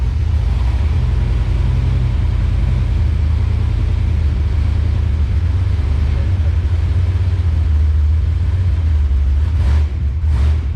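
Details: Swapped V8 after new plugs and wires and a sorted transmission. It runs with a deep, even rumble and no skip or miss.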